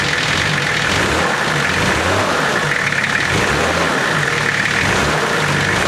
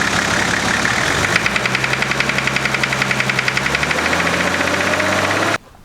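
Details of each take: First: Nissan GQ Patrol diesel after repair: even idle with a steady, smooth clatter; the previous engine knock, possibly injector knock, is gone. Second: Nissan GQ Patrol diesel at idle: a sharp, regular knock about four times a second over the engine note; others suggested fuel knock, injector knock or big-end bearing.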